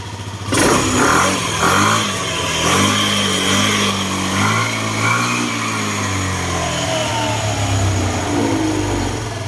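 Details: Motorcycle that suddenly started misfiring and stalled; idling after tightening a loose side screw and adjusting idle; steady, even idle with smooth unbroken exhaust beat, no stumbles; normal idle after fix.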